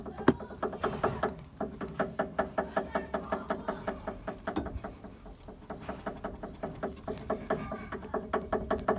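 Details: Renault Megane 3 / Scenic 3 / Kangoo / Fluence / Citan family with 1.5 dCi K9K engine, rolling. Light hollow clunks repeat two to three per second from the suspension. Worn stabilizer (sway bar) links knocking.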